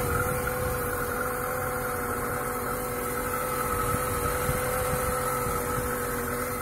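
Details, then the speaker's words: Lada Niva 21214M injector engine, about 63,000 km, after replacing the hydraulic timing chain tensioner to cure a chain knock on startup: smooth, even idle with no chain rattle or clatter; normal. "после замена натяжителя звук пропал вот можно даже послушать когда машину заводишь тишина тут никакого решения лязганье цепи нету"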